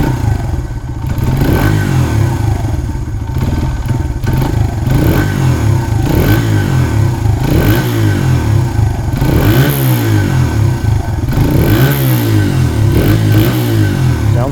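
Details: 1994 Honda XR100R single-cylinder four-stroke, running after 17 years unstarted: low thumpy beat with a few throttle blips, mild clatter but pulls clean; healthy-sounding.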